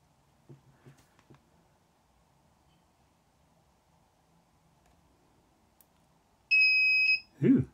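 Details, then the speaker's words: Casio CQ-1 1970s clock/calculator PCB repair, multimeter continuity test on a trace before re-soldering: a few probe clicks, then one clean steady beep under a second. Trace intact. "I wanted to test the continuity of some of these traces. There's no point in fixing the soldering if the traces have had it. So you'll probably hear it bleep when there's continuity."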